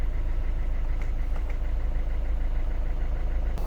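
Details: Peugeot/Citroën DV5 1.5 BlueHDi 130hp diesel after a fuel filter change, primed by cycling the ignition to run the fuel pump: it catches and settles into an even diesel clatter at idle, with no stumbling or misfire. This is a normal idle.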